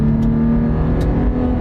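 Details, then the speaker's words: 2021 Toyota 4Runner V6, short full-throttle pull from a standing start: steady deep drone with no knock, rattle or whine, and adequate pickup; healthy engine. "it's got plenty enough pickup like I say it'll Cruise all day long at 8085 it's not a race truck"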